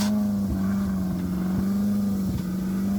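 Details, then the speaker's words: Cheap Ferrari California: a steady low droning hum with dull knocks coming from inside the frontmost part of the gearbox, with no fluid leaks; this transmission is known for complex, expensive faults, and the fix is supposedly costly. "this noise is clearly coming from the inside the frontmost part of the gearbox and this is a huge problem because this specific transmission is known to have multiple very complex and expensive issues"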